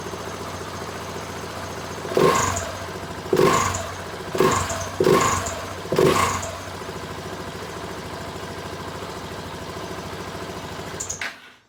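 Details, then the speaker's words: 2016 Husqvarna 701 Supermoto single, stock exhaust, kept on a battery tender: fires up with five sharp throttle blips, then settles to a steady, even idle until shut off; healthy start. "It's still on the stock exhaust, so it doesn't sound real mean, but that bike is terrifying."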